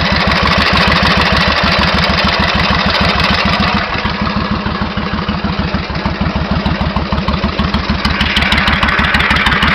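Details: 1991 Suzuki VS1400 Intruder V-twin, true mileage unknown (engine supposedly ~24,000 km); sharp metallic tapping about three per second at idle, speeding up as revs climb, clearer on the other side; engine knock, cause unknown.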